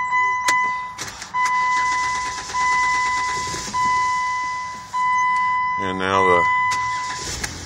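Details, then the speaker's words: 2007 Jeep Wrangler with Sentry Key security light and no-crank from faulty WCM (SKREEM), after removing and refitting IOD fuse for about 30 s reset: repeating warning chimes, then short quick crank that catches and runs; normal crank and start. "Jeep will crank so there you go 2007 Jeep Wrangler wcm problem that's how you can uh reset it and not get stuck somewhere"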